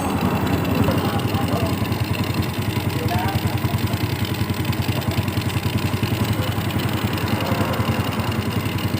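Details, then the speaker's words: Yamaha Vega R after carburetor service and refit: steady, even single-cylinder putter at about 3.5 beats a second with no misses or surging; idle now normal. "jadi motor sudah normal yang teman-teman bisa teman-teman dengarkan ini kondisi sedang septentrion"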